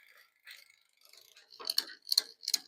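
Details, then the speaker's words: Aventon Soltera e-bike build: rear derailleur chatter, light sharp metallic ticking in uneven bursts in one gear from misadjusted indexing; fixed by turning barrel adjuster to adjust cable tension. "So, you hear that making noise? We're going to keep it on that gear. And we're going to turn this barrel connector while it's doing that. Okay. I have to turn it quite a bit to get rid of that noise."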